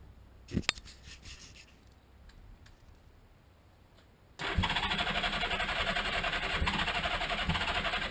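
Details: 1981 Honda GoldWing with test-fit custom manifold, gas poured down it, spark issue believed fixed: quiet fiddling, then engine catches and runs loud with rapid, slightly uneven exhaust beat; fires on poured fuel.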